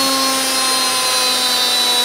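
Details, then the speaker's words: Secondhand washing machine brushed motor bench-tested on a test rig, unloaded, mic very close: cranked up then turned off, smooth steady whine spinning down, no sparking at carbon brushes, quiet bearings, no rumble or grinding; healthy motor. "I'll Crank It Up and as you can hear no sparking on the actual carbon brushes the bearings are quite quiet for the motor being so close to the microphone"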